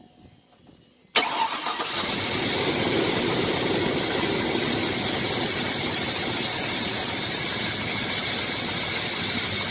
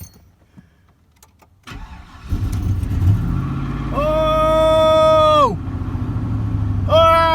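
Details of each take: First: 2000 Chevrolet Silverado that had been hesitating and overheated, started right after a badly worn failed spark plug was replaced. It catches after a short crank, then settles into a slightly uneven, hissy idle; the cause is not confirmed. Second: 2000 Chevrolet Silverado, wife's truck that had been hesitating and overheated, after spark plug and thermostat change: quick crank, catches first try and settles to steady idle with rising and falling belt whine; starts cleanly.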